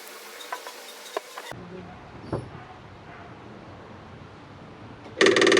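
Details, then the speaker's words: Cat 259D skid steer at its 1500-hour service, key-on with a new fuel pump and new fuel filter: quiet clicks, then a steady high electric buzz that holds as the pump primes and fills the filter normally, with no leaks. "Well, that's definitely working. Let's look for leaks. Well, that is definitely filled that up."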